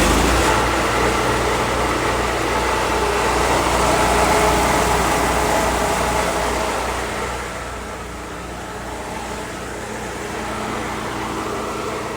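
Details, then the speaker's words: Kohler gasoline engine of the Vanair air and arc system on a 2015 Ford F-550 IMT 7500 crane utility truck, remote started with a key: starts right up, steady even drone, easing slightly after eight seconds, no knocks or misses. "Robert must not like me talking up there, but the Vanair system starts good, starts right up."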